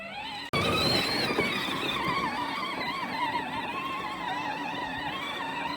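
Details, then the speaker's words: Power Wheels ride-on toy with bike-tire tread mod, driving through sticky snow: electric motor whine wavers and sags, struggling for power; owner thinks the battery was getting worse. "so you'll hear it's kind of struggling a little bit with power. I think the battery was just getting worse."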